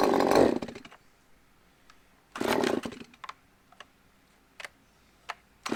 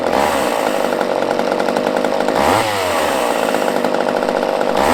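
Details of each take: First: Used Husqvarna chainsaw said to need carb work, started on choke: fires after a couple of short bursts, then fast slightly uneven two-stroke buzz; sounds rough, probably needs a carb tune. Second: Used chainsaw with old fuel dumped, fresh fuel added, and the fuel line primed: loud high two-stroke buzz held at high revs with a brief dip and quick recovery; runs cleanly.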